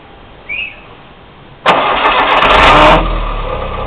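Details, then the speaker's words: Noisy starter motor on VW, GM or Fiat cars: a short, harsh grinding whirr while cranking before the engine catches and idles. Fix is to replace the starter bushings and clean the starter. "Quando ele fizer esse barulho, procure imediatamente uma autoelétrica para resolver esse problema. Tocar o embuchamento, dar uma limpeza e tudo vai ficar ok."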